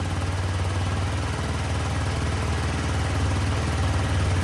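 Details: Yamaha C3 moped after replacing the failed fuel pump, plus a new spark plug and battery, fresh oil and a fuel tank flush; old bad fuel is suspected in the lines. A low, even putter with a steady beat and no misses; it runs again.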